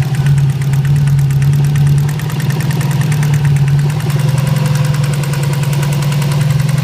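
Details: Subaru STI turbo petrol engine idling and revving with a quick, steady tapping over a low drone; started one night after setting up antilag. Doesn't sound like rod knock, owner suspects valve train; cause not confirmed.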